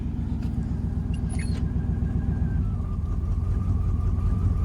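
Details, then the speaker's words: Chevrolet C2500 truck, in gear: the idle thumps unevenly with skipped beats and a rumble that shakes the door, an engine misfire from worn spark plugs and wires; plugs are to be changed. "plugged it running better now but you see again sputter but it sounds pretty good other than that"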